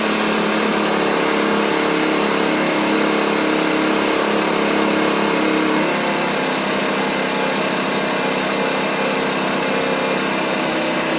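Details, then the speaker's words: 50cc Chinese scooter after installing a performance clutch with 100 rpm clutch spring and 1500 rpm contra spring: a high busy two-stroke buzz that drops to a lower, softer hum; idle was raised to take up throttle slack, set too high, and the bike tries to move off. "so I have a lot of play before I actually take off so I'm going to remove some of that by raising my idle"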